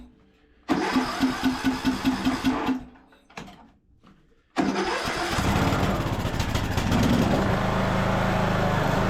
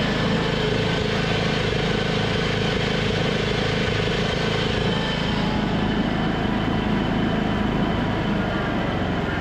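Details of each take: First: Craftsman LT2000 riding mower, restarted after running on fresh gas, air box and air filter on: short cranking bursts, a pause, then it fires promptly and settles into a steady, even run. Starts easily and sounds good. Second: Craftsman LT2000 riding mower with the deck engaged: a steady engine drone with a rough grinding rumble on top. Spindle bearings are still noisy after being pulled, cleaned and re-greased, so they are worn; the carburetor surging also persists.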